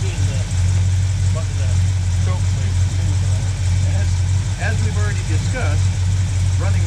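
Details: 1976 Ford F250 that sat seized, revived after soaking cylinders with penetrating oil, jump-started: low, uneven, loping idle that never settles; engine runs poorly, leaking carburetor accelerator pump noted.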